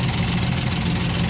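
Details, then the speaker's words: 1968 Chevelle at idle: loud, loping uneven beat with light valvetrain clatter and engine shaking; rocker arms first suspected backed off, but a broken pushrod found causing the rattle and misfire; carburetor floats also too full. "So, I believe that the skip, if you noticed how the engine was shaking, the skip is from rocker arms. They sound like they've backed off enough that they're causing issue."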